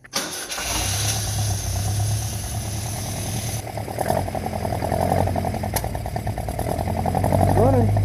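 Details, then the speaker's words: 1952 Singer 4AD Roadster project car, long sat with varmints, first start on old fuel after accelerator pump squirts: starter whirs briefly, catches first try, steady fairly even idle on all four cylinders; 40 psi oil pressure, charging at 12 volts. "Running all four. See if we got some oil pressure."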